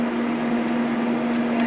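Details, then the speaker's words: New 2-gallon multi-room humidifier from Lowes: loud steady airflow rush with a constant mid-pitched hum. The fan runs evenly but is very noisy at its highest speed. "Hope you can hear me over top of that thing, because it's freaking loud."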